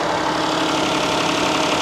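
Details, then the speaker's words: Warm repo car at auction idling far too high, steady and fast with an even hiss and no dips; suspected vacuum leak from something disconnected, not confirmed. High idle. "You hear how high this thing's idled up? Way too much."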